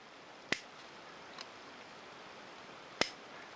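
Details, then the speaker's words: Onoto Magna plunger-filler fountain pen, circa mid-1940s, plunger pushed down in one action while unfilled: two sharp crisp pops a couple of seconds apart, quiet between; indicates the filler seals properly. "you can sort of hear it like a popping noise which well gives us an indication that everything's hunky-dory"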